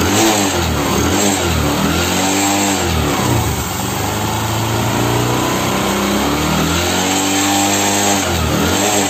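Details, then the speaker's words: Bajaj Discover motorcycle after half-engine rebuild (piston, rings, valves, timing chain, clutch plates) for white smoke, oil burning and piston knock; smooth idle with clean rev rises and falls, no knocking or rattle, knock gone; normal idle and revving. "पहले इसके अंदर piston चीज था इस वजह से खटपट की आवाज आ रही थी अब इस तरीके पर कोई भी सॉन्ग नहीं आ रहा है"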